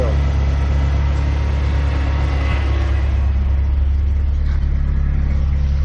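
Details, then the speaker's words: '87 Ford Ranger, running on old gas, fired up after reassembly and refilling with water: steady low rumble with an even beat, no knocks or misses; running normally. "okay all right we got it all back together now we got water in it let's fire up and see how she does"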